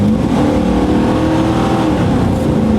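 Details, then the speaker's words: 1997 GMC Sierra 3500 on big mud-terrain tyres, after a fuel pump replacement, on a road drive under light throttle: smooth engine note rising gently over tyre hum, a fine downshift, plenty of power and no misfire. Normal acceleration. "All right. Not bad. Feels pretty good. The downshift was fine. It actually feels like it's got plenty of power."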